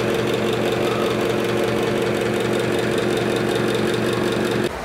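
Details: Old broken motor in a 20-year-old NuTone/Broan bathroom exhaust fan, recorded before replacement with a universal motor: a loud, steady buzzing hum with a coarse rattle over it.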